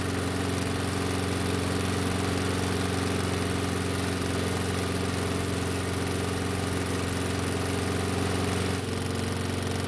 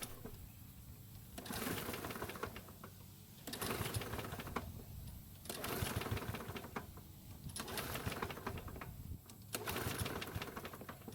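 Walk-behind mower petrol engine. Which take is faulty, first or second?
second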